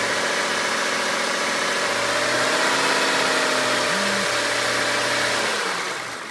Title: E39 M5 vibration/noise from engine